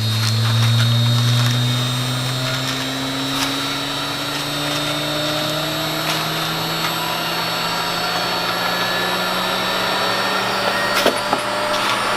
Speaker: Air compressor is running. I can hear it. But I can hear myself think.